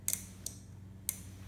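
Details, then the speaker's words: Lester E-Series 48V SCR golf cart charger bench-tested on a 48V battery through a 10A fuse: a few sharp dry relay clicks over a low steady hum, the relay pulls in but there is no output and the DC ammeter doesn't move; traced to a bad AC cord connector. "actually hear a click so I relay it pulls in but I'm actually not getting any output"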